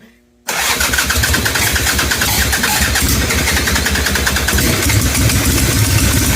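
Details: Harley-Davidson Ironhead Sportster, carburetor dribbling fuel: cranks and catches into a lumpy, uneven beat with sharp pops, backfiring through the carburetor; cause was slipped ignition timing, not the carburetor.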